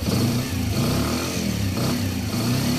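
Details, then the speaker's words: Kawasaki Bajaj CT100 single-cylinder after timing chain replacement, throttle blips: note rises and falls, earlier grinding from inside the engine gone; runs quiet, normal running. "nawala na yung kaninang parang parang may gigiling sa loob, parang may gilingan sa loob ng makina. Ayan o. Tahimik na siya."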